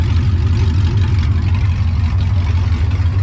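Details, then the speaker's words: LS V8-swapped Nissan Patrol after rear main seal repair and gearbox refit, running about 10 minutes with no exhaust fitted: loud steady deep rumble, even beat, no knocks or misses; normal idle. "oh doesn't that sound good she's back alive been running it for about 10 minutes"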